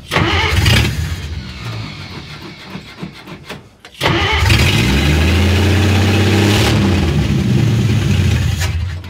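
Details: Willys FC-170 Jeep truck, revived with a new battery, cleaned points and fresh gas: engine cranks, catches and revs with a rough chuffing edge on each rise in speed; a massive exhaust leak.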